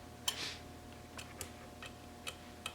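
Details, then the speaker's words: 1966 Triumph Spitfire MK2 horn relay circuit: sharp, dry relay clicks at uneven gaps, about six in three seconds, over a faint hum; owner suspects a loose aftermarket terminal with play making poor contact; intermittent relay clicking. "clicking again all my god those aftermarket parts when I shake this terminal that's so stupid probably not making good contact here"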